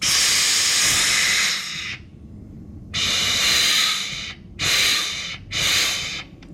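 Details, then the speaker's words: Automatic transmission reverse band accumulator tested with shop air: sharp hiss in four bursts of one to two seconds as air is applied, escaping past the servo cap gasket; leaked in the same spot twice, new steel gasket fitted. "two times in a row we've had a leak in the same spot"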